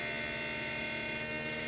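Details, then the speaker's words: Homemade 3D-printed axial-flux brushless DC motor on an Arduino speed controller, first test run: loud steady buzzing hum with high electronic whine from the controller at startup and speed; burning smell followed, cause not pinned down. "wow it's kind of weird kind of noisy there at startup you can hear the speed controller"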